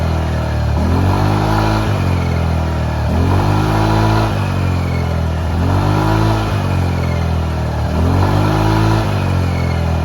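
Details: Honda Vario 150 LED scooter after repair of smoking exhaust, rough engine sound and 100 km/h top speed caused by a worn head gasket letting coolant into the combustion chamber and oil: four clean throttle blips back to steady idle, no rattles or knocks; healthy, no more smoke.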